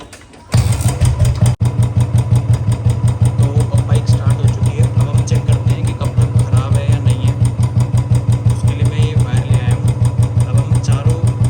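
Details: Royal Enfield Bullet Standard 350 BS4, 2018, with a battery-drain no-start complaint, idling while the charging coupler and rectifier are tested and found fine. Steady, even single-cylinder thump with no knocks or rattles; healthy idle.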